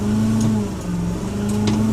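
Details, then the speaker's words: Kubota Grand L3560 HSTC tractor at diesel idle after BH92 backhoe removal with hoses reconnected to close the hydraulic loop: steady low hydraulic whine over rough vibration, new and of unknown source; disconnecting and reconnecting hoses brought no change, and a sticking relief valve is suspected. "is hydraulic i don't know what it's from i just know it's new"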